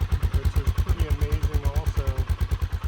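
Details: 2000 Aprilia Pegaso single-cylinder, warm after about 13 miles, temperature just below 80, after sitting 10 months: starts right up, even steady thump about three beats a second, no misses or rattles, idling cleanly.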